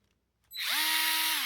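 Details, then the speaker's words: Dewalt electric screwdriver in reverse, undoing a screw; the speed dial does not affect reverse. The motor whine climbs in pitch over about a quarter second, then holds steady as it ramps up, a normal run-up under load. "this thing actually has a bunch of torque like it does take a little bit to get going and you can kind of hear that when you hear it"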